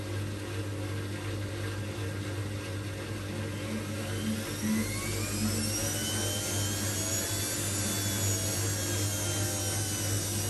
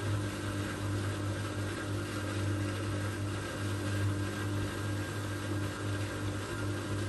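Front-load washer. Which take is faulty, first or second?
second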